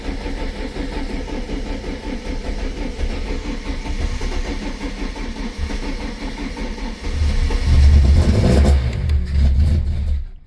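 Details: VW Lupo 16v 75bhp that has been troubled for months, low on fuel with an odd-sounding fuel pump prime and a weak battery: engine surges and sags, stumbling under throttle. Uneven revving; cause unconfirmed, low fuel suspected.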